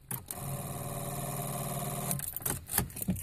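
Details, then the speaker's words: 1998 VW Jetta TDI with about 292,000 miles and a no-start problem, battery reading about 12.3 V: turning the key gives a fast, repetitive clicking chatter for about two seconds with no cranking, where earlier it gave only a single half-crank click. "and then just now when I grab the camera to record this video is the first time I actually got that repetitive clicking sound so here we go one more time"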